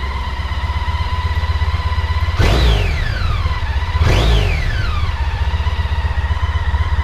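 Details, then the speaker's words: Honda ST1300 on stock exhaust: steady idle burble, then two quick throttle blips that rise and fall cleanly and settle back; healthy revving. "So this is standard pipes, Honda ST1300. Give it a bit of a rev, you can have a listen to that."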